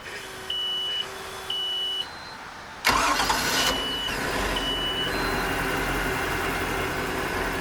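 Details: Centurion boat with MerCruiser 5.0 V8 after replacing a starter with a broken post and the starter fuse: warning chimes, brief starter spin, engine catches at once and settles to a steady even idle; normal start and idle.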